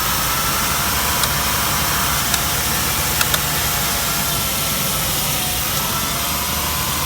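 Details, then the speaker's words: Car with clean oil and a new coil pack, idling unevenly: steady hiss and thin high whistle over an uneven idle; definitely a vacuum leak. "That's definitely a vacuum issue. There's no questioning that. Well, it sounds like it's right up here."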